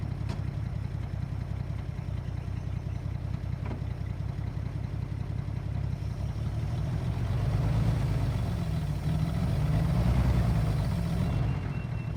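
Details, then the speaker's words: 1940s Chevrolet C30 CMP Blitz truck six-cylinder, sat 20 years, running on temporary fuel tank after basic checks: steady, even low idle with smooth, regular beat and no knocks or misses; runs healthy. "so there we go everybody sitting for 20 years with just a few basic little checks starts and runs runs beautifully listen to that sound of the six cylinder chevy engine"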